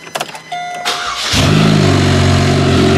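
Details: G6 demolition derby car, first drive after spindle swap: starter churn, then the engine catches with a fast, tinny chatter over the idle, about four a second; loose timing chain rattling.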